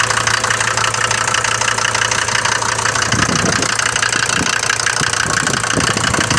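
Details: Mercedes diesel from Libya, recorded cold in the morning: loud, fast, rough clatter over the idle, harsher than the normal knock of these engines; owner bought it with this noise, cause unconfirmed.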